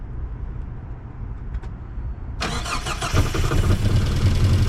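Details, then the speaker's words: Mazda B2200 truck, first start in 20 years after fitting a new Weber 38/38 carburetor: quiet, then cranks and catches sharply, settling into a steady, even idle; clean start and running. "All right. And there she is. She runs."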